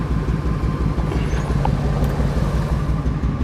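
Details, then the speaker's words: 2001 Ford F250 5.4 plow truck with code P0305: lumpy, popping idle with a regular stumble from a cylinder 5 misfire. The spark plug is already changed and the coil is about to be replaced. "I've got this 2001 F250 5.4 that has a pretty bad miss. You could hear it. She's not running very happy. You can hear her popping off."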